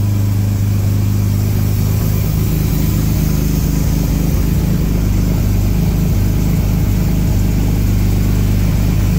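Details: Restored 1938 SS Jaguar 3½ Drophead six, running. Steady, deep, even drone with no knocks, misses or ticks. Runs sweetly.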